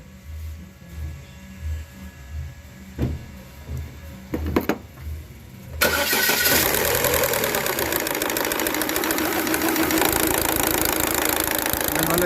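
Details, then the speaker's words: Chevrolet Cruze with cam gears exposed, engine started: a quick metallic clatter runs steadily over the idle, traced to the intake-side cam phaser gear. "escuchar bien el que nos está haciendo ese ruido extraño es el engrane el lado admisión"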